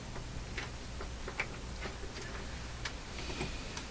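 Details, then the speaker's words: Variac powering a 1950s Marconi FT-12 police radio Carter motor-generator: quiet, irregular scratchy ticks as the control turns, brush sliding over transformer windings to change turns and output voltage; normal. "The control here, if you listen to it, scraping along. It's sliding over windings in the transformer, increasing or reducing the number of turns. That's how it's controlling the output voltage."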